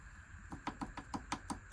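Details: Trojan, a small steam tank engine, worn: quick metallic clacks, about five a second, as a worn eccentric strap with play is rocked back and forth by hand, before skimming the eccentrics.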